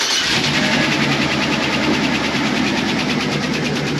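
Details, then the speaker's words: 2004 Chevy Express 4.8 V8 with slightly dirty oil: busy idle with fast light ticking, attributed to the camshaft-driven lifters (botadores) tapping; seals to be replaced. "entonces de un solo se le van a cambiar los sellos y el golpeteo que tiene G peteo se da por los l los botadores que empuja el árbol de leva para las válvulas"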